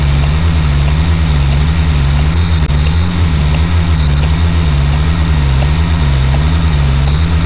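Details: LMTV truck (Abel) idling after CTIS fix; tire inflation system checks repeatedly return to normal highway pressure, not run-flat, and the quick release valve no longer fights the wheel valve. Deep steady idle, no hissing or valve chatter: normal idle, CTIS working.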